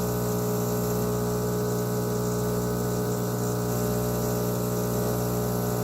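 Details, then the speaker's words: Espresso machine pulling a shot of 16 g tamped grounds, about 26 g out in 30 seconds: even, unbroken buzzing pump hum with a steady low drone that never changes pitch; pump running normally. "so anyway just flip that switch you'll see the espresso coming out there should come out slow and sort of pick up sweet you know you tamp it well if it's not just spraying all over the place"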